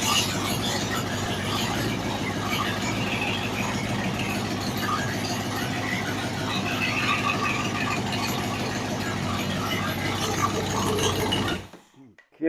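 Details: Ford 302 V8 budget rebuild on a stand after setting timing to about 12° and adjusting idle, vacuum 16 inHg: a steady, even idle with a crisp exhaust note and no misses or knocks. Healthy and well tuned.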